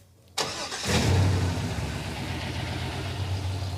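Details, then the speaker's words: Engine with an aftermarket ECM, an inlet air temperature sensor newly added: it cranks, catches and settles into a lumpy idle with a missing beat. One bank sounds different and it runs on six cylinders from swapped coil wiring. "When you listen to this side versus that side, it's not the same. These ones are all firing on this side. Yeah. Now come over here. Got at least one dead hole over here."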